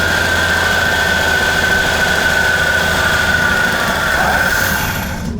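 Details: 1954 Chevy Bel Air, rusty car after carb work: runs unevenly about five seconds on fuel poured into the carb, then cuts out; fuel pump suspected not working well, not confirmed.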